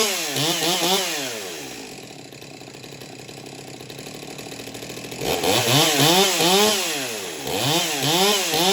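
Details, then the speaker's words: Farmertec Stihl MS200T clone chainsaw, newly built, warm, after venting the fuel tank fixed a restart problem: revs up and down in clean repeated sweeps, dropping back to steady idle, no bogging or stalling; running fine. "but after that I was able to get it to restart, and it's been running just fine."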